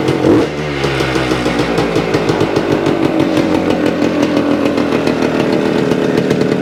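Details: 1975 Suzuki TS-250 two-stroke, 6-volt system, after no-start repair: raspy buzz catches and settles into a steady, clean idle with no misses or stumbles; runs after stator rewired, coil remounted on scraped frame.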